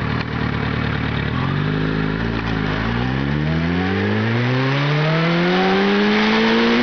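Motorcycle engine revving up hard with a slightly ragged, uneven edge to the pulses; consistent with misfiring from an ignition fault.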